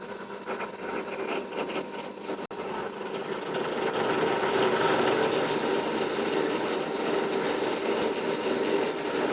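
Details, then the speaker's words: Pillar drill drilling a clamped workpiece: steady motor whirr with a cutting hiss that builds as the bit bites, no rattles or grinding; drill runs normally, quieter than the saw. "so I'm going to drill this it's not as noisy as the threat sort so you'll hear that when I"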